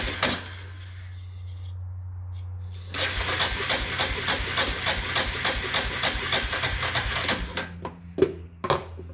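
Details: Yamaha machine with carburetor and accelerator pump, sat outside two-plus years, on lawnmower battery: steady cranking about three and a half pulses a second for four seconds, never catches; cause unconfirmed, jump box tried next.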